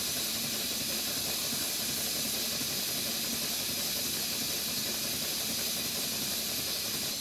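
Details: Stuart Twin Victoria cast-iron-cylinder model steam engine at 60 psi: a soft continuous steam hiss with a faint, even exhaust beat and no knocks; running smoothly and normally.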